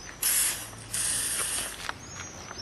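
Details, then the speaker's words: Car door swung back and forth before lubrication gives two long, high, scratchy creaks from dry hinges; squeak then fixed with hybrid silicone lubricant. "сегодня будем устранять скрипт двери с помощью гибридного силиконового средства UN от компании фле нас такой вот звук замечательный"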